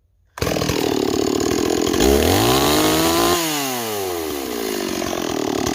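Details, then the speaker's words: Stihl 026 chainsaw after swapping to an 18-inch bar (from a 20) cutting hickory: crisp rev-up, pitch sags in the cut and climbs back cleanly; doing a lot better, saw pulls strong and runs healthy. "okay it's doing a lot better now I really think the 026 should be with an 18 not a 20 that's just my personal opinion it cuts a lot better with an 18 than it does a 20"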